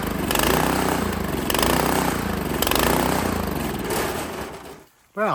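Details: Made-in-Italy Workman 2 Multimixer cement mixer, Honda GX160 single-cylinder, fresh fuel, choke on, after reassembly: surges and sags, speed hunting, then dies; rough running traced to tight valve clearance.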